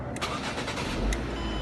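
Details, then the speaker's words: 2008 Ford Focus with an ignition switch problem, started through an added push-button start switch after the key is turned to on: a short crank, then the engine catches and settles into a steady, even idle with no grinding; it starts normally. "and there you go car starts it runs just like normal"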